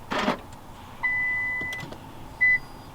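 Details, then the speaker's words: R35 Nissan GTR after installing AEM 340 LPH high-flow fuel pumps, ignition on: brief high thin whine under a second, then a short second burst; fuel pump priming normally, car then runs with no check engine light. "alright so we are back plugged in we're gonna see if the fuel pump turns on so when i turn the ignition on you should hear it"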